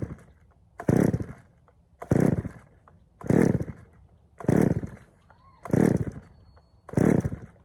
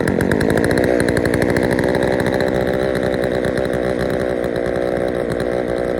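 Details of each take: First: Poulan 3000 chainsaw, previously wouldn't start, first run after draining dirty old fuel and refilling fresh: seven sharp throttle blips then held wide open, picks up cleanly but runs slightly rich; low-speed mixture to be adjusted. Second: Poulan 3000 chainsaw after service (fresh fuel, air filter cleaned), previously reported not starting: steady even high rev, clean buzzy drone with no stumbling or surging; runs healthy.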